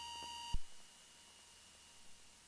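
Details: Beechcraft Duchess BE76 twin during commercial/multi-engine checkride practice: a steady high stall warning horn for about half a second, then a thump and a quiet cabin. This is the stall horn at full stall.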